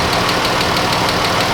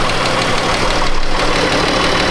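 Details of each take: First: Chrysler 200 with 3.6 V6 warming up at idle, in for overheating with suspected head gasket: fast, even ticking that quickens with engine speed as lifters grind through the cam and tap, pretty noisy; lifter tick. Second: 2013 Chrysler 200 3.6 with an overheating complaint, idling with A/C clutch engaged: steady idle with an even whoosh of air and no rattle or surging. Both radiator cooling fans work properly; head gasket later found failed.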